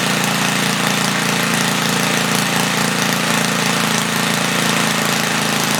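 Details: 1976 Tilly rototiller, 3hp Briggs & Stratton with points, revived after years not running; main jet leaned, points cleaned. Loud raspy fast even beat at 3400 rpm, slight flutter, no load; normal running.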